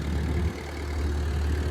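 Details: Ford tractor, not run for a while, with a new battery, fires within two turns and settles into a low, steady rumble with an even beat and no knocks or misses; smooth healthy idle.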